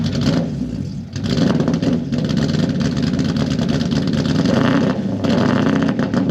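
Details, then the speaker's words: Toyota Celica with 1UZ V8 on a new ECU, after restoring the TPS 5-volt reference: revs but stumbles and surges unevenly, never pulling cleanly, and gets worse; rough, misfiring rev, likely a timing or ignition fault. "Huh. Ooh. Interesting. It's getting worse."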